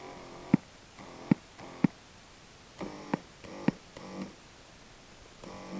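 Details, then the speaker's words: Animatronic figure's mouth motor with amplifier on, no input and volume, treble and bass turned up: sharp pops with a short buzzing hum as the motor moves, intermittently through the speaker; motor electrical interference reaching the amplifier. "every once in a while you get a pop coming through the speaker hear it not all the time"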